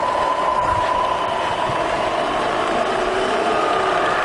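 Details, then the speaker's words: Bridgeport milling machine with Vari-speed head running in reverse with the quill feed disengaged: steady, even hum with a soft mid-pitched whine, no knocks or grinding; the head is quiet and healthy. "I just leave it in disengage. You hear the head's quiet."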